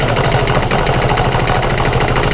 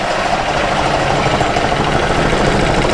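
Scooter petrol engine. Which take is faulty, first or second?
second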